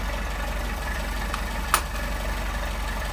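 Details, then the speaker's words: Engine with 44PHH Solex carburetors, airflow balanced by screwing in one side's idle adjustment from 5.5 to 6 to match the other. Low, steady idle with an even beat, a change of tone and one brief click; normal idle. "There we go, we've got 6. You can hear the change of tone. So now we have balanced airflow."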